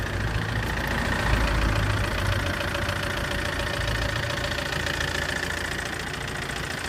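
Engine idling with a loud, fairly quick clicking, about three or four per second, riding over the idle; source undetermined.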